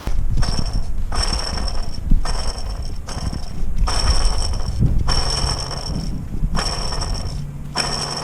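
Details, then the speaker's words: Toyota Tacoma upper serpentine-belt idler pulley spun by hand, engine off, belt removed: repeated bursts of gritty rough whirring with a thin ringing hiss each spin; worn, noisy idler bearing to be replaced along with the belt. "yeah as you can see that one's really noisy we'll have to replace that"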